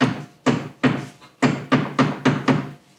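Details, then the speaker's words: 2018 Polaris Sportsman ACE 570: heavy hollow thunks as the front prop shaft bangs up and down from a worn, loose yoke on the front differential; fixed by drilling and adding set screws. "that's the prop shaft banging up and down"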